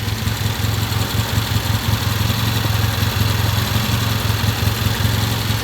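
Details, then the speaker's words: Vintage British motorcycle on its first start after timing and carburetor adjustment: steady, even, lumpy beat at a relaxed idle with no knocks or misfires; sounds healthy. "this is our first start we adjusted the timing adjusted the carburetor I'll talk to you about that sounds really good"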